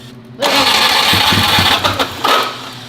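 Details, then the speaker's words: Cheap used car with metal on the oil dipstick: engine fires with throttle, then stumbles and lurches with irregular dips instead of settling; owner suspects internal engine damage, unconfirmed. "scared that we know this. That does not sound good. Now, why would such an honest, hard-working man lie to me about an engine?"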